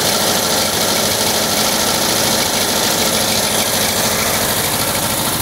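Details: 1979 VW Type 2, 2.0 L fuel-injected air-cooled flat-four at idle: light glassy clinking following engine speed, like bottles banging; source uncertain, owner suspects cooling fan refitted unmarked after cleaning and painting.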